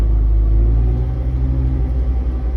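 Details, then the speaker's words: 1997 Jeep Wrangler in four-low, first gear: deep steady drivetrain rumble with the engine labouring slowly, pulling evenly with no grinding or clunks; low range works normally. "You hear that? Yep. Low range works."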